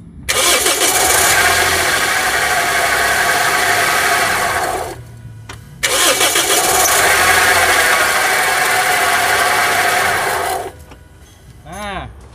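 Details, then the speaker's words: Toyota Yaris, engine running, mic close to the AC compressor, which wobbles loosely when shaken: harsh rough roar cutting out briefly then returning; worn, loose AC compressor. "Terus kalau saya pas hidupkan itu maka suaranya kasarnya suaranya seperti apa ini"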